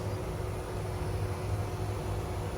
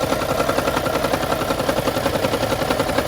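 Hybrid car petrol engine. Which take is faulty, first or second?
second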